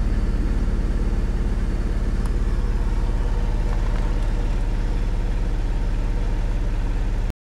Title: Misfiring 1999 Mitsubishi Eclipse